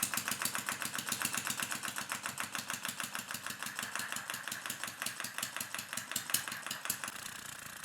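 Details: Small homemade air-powered engine with enlarged diaphragm, driven by compressed air from water filling a tank, running at low pressure: crisp, even exhaust puffs about seven per second, steady beat, no stumbles: normal running.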